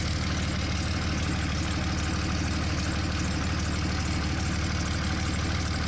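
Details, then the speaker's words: 2003 Dodge Ram 5.9 Cummins diesel at idle just after HY35W turbo replacement: fast, even idle with a sharp puffing tick on each pulse, quite loud from a small exhaust leak at an unplugged manifold hole needing a plug. "I gotta get a plug for that manifold there it's actually quite loud with that little bit of an exhaust leak"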